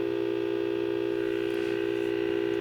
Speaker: so I'll move this around we may be oscillating a little bit cuz we got so much gain right now so we'll take a listen to this so you can hear we're getting a bit of oscillation in there because we have so much gain